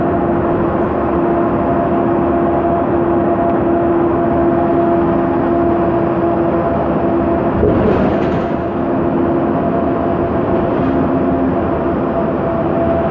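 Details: 2009 MAN Lion's Classic city bus, MAN E2876 LUH03 EEV CNG engine, ZF Ecomat 6HP504C 6-speed automatic, while cruising: steady tonal whine over road and engine noise, holding pitch with road speed; noisy rear differential suspected, not confirmed.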